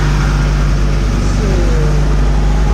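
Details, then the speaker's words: Rotax 503 two-stroke on an aircraft, cold start after a new 12-volt fuel pump and new fuel lines were fitted, pump off: loud, steady, smooth idle with no stumbles or sputters, about 1800 rpm. No bubbles in the lines. "Oh, beautiful. Nice and smooth idle, no sputtering, very smooth."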